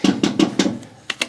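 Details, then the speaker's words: Willys Jeep with Dana front axle, front locker, newly fitted manual locking hubs in 4WD, wheel raised and turned by hand: sharp quick ratcheting clicks from locker; normal locker clicking. "Quick turn to four-wheel drive. And it's now locked in. You can hear my locker clicking"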